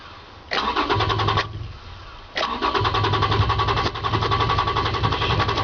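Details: Toyota Tacoma hard starting: starter cranks in long, even bursts, stops, cranks again before the engine finally runs; cause unknown.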